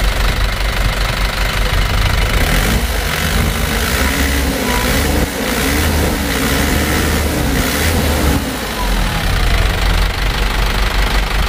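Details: Isuzu Traga diesel after a full engine rebuild, injection pump shifted about 2 mm and timing adjusted: steady diesel clatter at an even idle with a faint wavering tone; engine runs evenly and sounds healthy.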